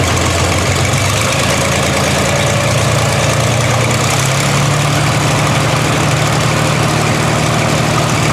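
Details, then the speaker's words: 1960 GMC V12 idling deep with an uneven, lumpy beat as one cylinder drops out; misfire persisting after new plugs and an oil change. "Well, did you guys hear what I hear? The V12 has developed a miss."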